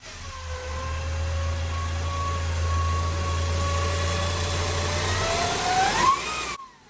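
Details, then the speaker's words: Honda CR-V 2.0 L naturally aspirated petrol engine at idle and revving: a steady turbo-like whine that climbs in pitch with revs, traced to the alternator; the diode check suggests a bad rectifier diode. Alternator whine. "okay guys this sound looks like from the alternator let's check the diots if they are okay"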